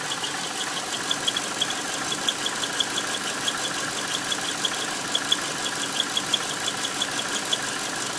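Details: 2001 Subaru Outback, EJ251 engine: a thin, steady high-pitched squeal over an even idle with faint ticking, from near the transmission flange. It's heard coasting and with the clutch pressed, and vanishes on throttle; not accessories, belts or release bearing. Crank bearing suspected.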